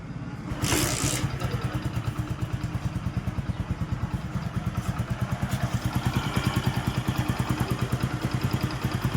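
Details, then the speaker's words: Honda HF Deluxe bike after fitting a complete new timing chain set (old oil pump gear badly worn): steady single-cylinder idle thumping about three beats a second, no ticking or chain rattle; timing chain noise gone. "कुछ भी extra sound नहीं है इसमें। बिल्कुल आवाज खत्म हो चुका है टाइमिंग चेंज का।"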